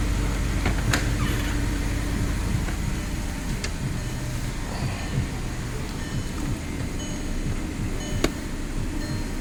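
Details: Audi R8 after a no-crank, no-start fault was repaired: steady, even low rumble with no misses or knocks; the engine idles smoothly and sounds healthy, a normal idle.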